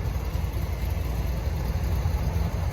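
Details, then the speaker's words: 1971 Corvette with a rebuilt, numbers-matching motor described as perfectly tuned, idling without stalling: a deep, even V8 rumble with no ticks or misses. Normal idle. "It's perfectly tuned, perfectly rebuilt. Everything is just 100%. It has that beautiful rumble to it."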